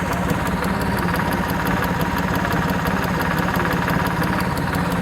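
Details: Suzuki F6A EFi three-cylinder (multicab) at steady idle with quick light even ticking, about three a second, from the fuel injector.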